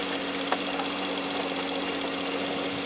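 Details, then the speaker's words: Jeep Grand Cherokee 4.0 L inline-6 with over 200,000 miles idling and revving with light fast ticking said to be internal to the engine, not rod knock. "as we rev it up you hear the engine ticking now that ticking noise you he is internal to the engine"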